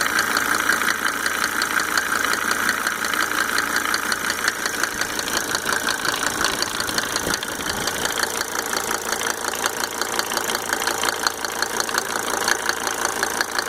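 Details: Mercedes 300D W124 2.5-liter diesel, just fitted with five newly rebuilt injectors with Monarch nozzles: quick regular ticking, a few per second and locked to idle speed, over the clatter; source can't be pinned down.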